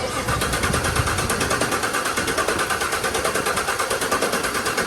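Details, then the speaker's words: 2018 Camaro ZL1 V8 after cam and Katech oil pump install, jumper box on low battery, not firing: even quick chug of the starter at four to five beats a second, priming oil through new pump and lifters. "So, we're going to go ahead run the starter over. Got the jumper box on here cuz the battery is a little low. Just going to get some oil pumping through the new oil pump and all through the new lifters and everything."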